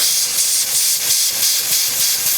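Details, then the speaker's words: Smittybilt 5.65 CFM air compressor, four years old, with the hose attached: continuous sharp hiss, steady but softly pulsing, no rumble underneath; leak at the connection, not the valve. "I'm all the way on. Listen. Hear that? There just pisses it."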